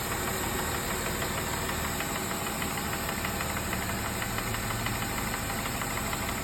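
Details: Mercedes E350 3.5 V6 M272, all-wheel drive: warming idle near 600–700 rpm; as it warms, rpm drops and a loose metallic rattle knocks about three times a second; piston slap from scored cylinders.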